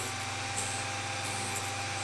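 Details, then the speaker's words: Small OTMT drill bit sharpener at the point-splitting station, collet holder turned each way until the grinding stops: a steady high grinding hiss over a faint constant motor whine; it is cutting evenly and normally. "turn the collet holder all the way in each direction until it stops, once you hear that the grinding stopped, then turn it around, do it again, and we are finished."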